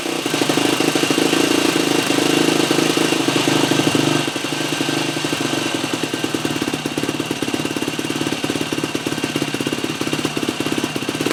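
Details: 2003 Yamaha YZ450F four-stroke after carb work, choke held out with a zip tie; previously only started with starting fluid: single-cylinder thumper fires and settles into a quick, even popping idle, no knocks or misses.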